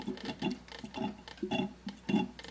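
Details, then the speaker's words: Mercedes CLK55 AMG, engine off, after a coolant refill through a self-bleeding funnel system while squeezing the lower radiator hose: irregular gurgles and soft pops as trapped air burps out of the cooling system. "and you can hear it bubbling and every once in a while you'll get kind of a pop to go through"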